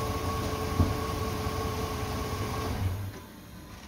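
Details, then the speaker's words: Holden 4.2L 253 after rebuild, on engine cradle: starter whirs about three seconds, never catches; fires only when fuel is poured down the carburettor bowl, so fuel isn't being delivered; owner checking whether the fuel pump works. "it all right so it fires when I pour fuel down there but it doesn't have any fuel in the bows so it's not um doesn't feel like it's getting fuel"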